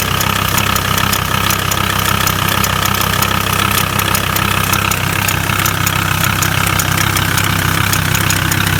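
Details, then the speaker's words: VW T4 with 2.5 AXL diesel idling: steady clatter with an extra sharp tapping knock about three a second, from the top, seemingly right side; owner suspects the injection pump, not the camshaft. "Сверху где-то что-то щелкает, что не пойму. По-моему, справа."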